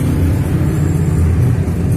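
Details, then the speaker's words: Sanken twin-tub washing machine whose washer side spins slowly under heavy load: the spin dryer runs normally, a steady smooth low hum turning fast with no knocking or scraping. A capacitor check is suspected for the washer. "ini untuk temennya normal dulu area berputar sangat lancar dan suaranya halus juga speednya kenceng"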